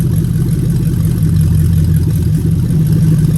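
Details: Lexus 3UZ-FE VVT-i V8 on a swapped harness for an IS200, warm idle at about 600-700 RPM after coolant climbed from 60 to 72 degrees, with zero fault codes: steady, smooth low rumble at constant pitch, no misses or knocks. Normal idle.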